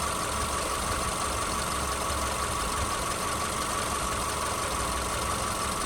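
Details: 2010 Subaru Forester AWD with 83,000 miles, microphone hovering over the engine bay at idle: a steady, even, smooth low hum with no knocks, misses or ticks; normal idle.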